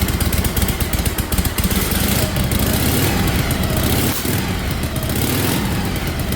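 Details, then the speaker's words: 1956 Harley-Davidson FLH restoration idling after first-kick start, loping V-twin idle with an occasional soft intake sneeze, perhaps slightly lean; it now has full exhaust instead of open drag pipes, so the carburetor air screw may need readjusting. "Oh, it sneezes a little bit. Yeah, that's okay. We might have to adjust for this motor."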